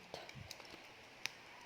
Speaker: we heard the ticking sound that means our wire is already we have to make sure that the wires are fully inserted